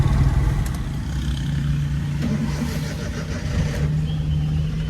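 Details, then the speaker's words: Second Suzuki Every on test drive after repair of a valve problem; engine drone rises smoothly under load over road noise, no tapping or misfire; running healthy. "Second every भी बिल्कुल final हो गई है। इसकी भी test drive ले रहे हैं।"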